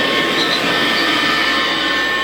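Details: Kirby Classic vacuum (Classic Omega with Lexan plastic fan, Classic 1-CR) after motor bearings were greased: steady high-pitched chirping whine over the motor rush at constant pitch, a bearing squeal.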